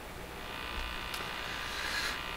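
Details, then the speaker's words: Crosley 43FB farm radio during shortwave band alignment: steady rough buzz with hiss from the speaker on shortwave while AM sounds fine; fault in the radio suspected, not confirmed. "Ooh, hear that buzzing? I'm sure you do. That's got to be a problem with this radio."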